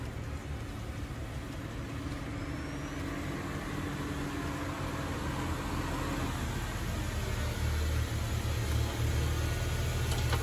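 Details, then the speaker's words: Honda Fit idling smooth with steady even hum, no stumbles, after misfire fixed by replacing coil pack and spark plug. "you'll hear it running in a little bit and see that it's running totally smooth now cuz I fixed the uh the misfire when I replaced the coil pack and the spark"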